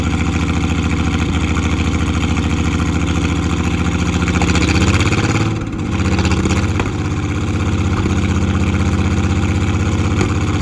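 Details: Off-road Ford Falcon idling after long non-running and starting issues: lumpy, uneven low beat of a petrol engine suggesting a misfire, heard before the spark plugs were changed the next day. Cause suspected, not confirmed.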